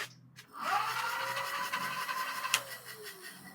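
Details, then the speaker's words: Lectric XPedition cargo e-bike hub motor, stationary: whine rises as the wheel spins up, holds, then drops as it coasts down; normal but slightly louder than the newer 2.0 motor. "Motor still as powerful, but quieter on the new one. This is the sound of the new motor. And the old motor."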